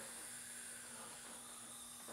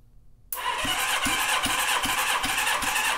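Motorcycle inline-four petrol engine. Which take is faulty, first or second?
first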